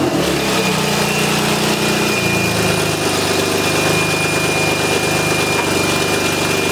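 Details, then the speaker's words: Crashed BMW E36 at start-up, old exhaust, essentially straight pipe: loud, raw, raspy exhaust puffing and crackling as it revs then settles; exhaust leak from a hole the owner thinks he has located. "criminy you're gonna hear the hole in the exhaust I think I know where it is we're gonna patch that up and hope this only hole there is in this old exhaust"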